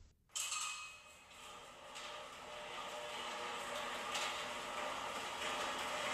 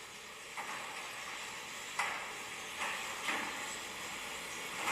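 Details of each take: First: Genie Pro Max garage door opener raising the door; steady whir and light rattle, no squeal. Normal operation. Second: Garage door opener in the shop (Genie Pro Max or LiftMaster Logic 2) running the door; soft running hiss with short sharp squeaks about every second. Runs quieter than expected but one squeak still needs fixing.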